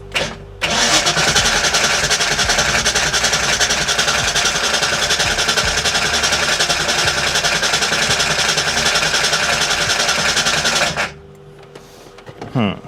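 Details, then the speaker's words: 1989 Ford Mustang GT first start attempt after sitting over 10 years, fuel fed from a bottle into the rail: starter cranks steadily about ten seconds but never fires; fuel supply and return hoses later found swapped. "All right, let's try to crank this bad boy up, even though I'm very afraid. Here goes nothing. And nothing goes."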